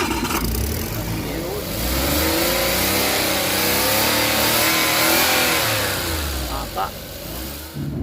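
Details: Suzuki automatic, after repairing burnt wiring that caused cranking-no-start with no ECM reading or shifter indicator lights: catches cleanly, revs smoothly and settles without misses or knocks; healthy start and rev.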